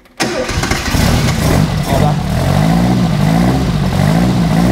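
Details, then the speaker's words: Renault R8 Gordini rebuilt engine on its first start, with no coolant added yet: it catches instantly on the first try and settles into a strong, steady run with some throttle blips. A clean, normal start. "bon bah là voyez on a juste fait un premier démarrage on pas pas mis d'eau dedans pour s'assurer que ça démarre donc bah là on va dire que c'est nickel ça démarre du premier coup"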